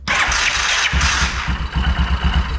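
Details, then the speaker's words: 2001 Yamaha Kodiak 400, starters already swapped: harsh, uneven whirring and chattering clatter while cranking, rotor changing speed, struggling more as it heats up; owner suspects the one-way starter clutch bearing is slipping. "it's struggling to start it more and more as it heats up. It's that bearing in there. I believe the bearing is slipping."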